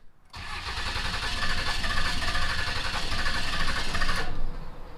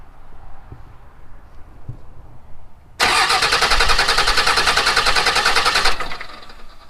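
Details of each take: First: Salvaged Dodge Cummins diesel, not running, cranks long with uneven chugging and irregular pops that never catch, after cam position sensor (code P0341) and pressure relief valve replacement; points to a stuck-open fuel injector. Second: Salvaged Dodge Cummins diesel cranked with electronics bypassed during compression test on number 6 cylinder, injectors out; about three seconds of even rhythmic chugging with equal beats; good compression.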